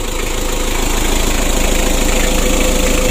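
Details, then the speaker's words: Rebuilt 2017 Mitsubishi L300 diesel engine, new oil and fuel filters, oil light off: even regular clatter, no knocks or stumbles, no compression leaks; normal idle. "untuk suaranya juga bagus teman-teman yang mudah-mudahan aman dan lancar ya tidak ada halangan"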